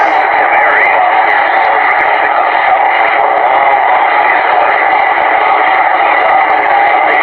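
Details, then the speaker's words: Yaesu Fusion repeater in Black River Falls, Wisconsin, heard from about 24 miles away: a loud steady hiss with faint wavering tones riding through it. The owner believes the interference comes from far away, and desensitizing the receiver would cut its range. Cause unconfirmed. "I can hear the tones coming in. You can know it's something from a long ways away, because you can hear it coming in."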